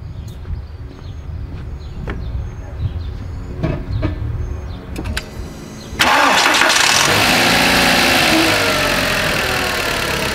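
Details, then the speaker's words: 2004 VW Beetle 1.8 Turbo after repairing a vacuum leak on the brake booster hose with epoxy: engine cranks, catches and settles into a steady, even idle; rough idle and hard brake pedal gone. "wow all right as you guys can see um the rough idle's gone the vacuum looks gone"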